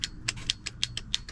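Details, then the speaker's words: Foxbody Mustang, steering wheel hub and contact plate just reinstalled, horn wires swapped after the ground was found hot: crisp relay clicks about five a second with each button press but no horn. Owner suspects no power reaching the horn. "you can hear the relay but I got no horn but at least I hear the relay wherever that's at"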